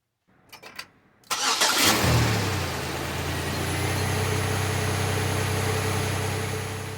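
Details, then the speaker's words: 2005 Buick LaCrosse with GM 3800 (3.8 L) V6, just after replacing spark plugs and plug wires that caused an intermittent P0300 misfire in wet weather; brief cranking, clean catch and smooth, even idle, running great. "well there we go easy as that things running great"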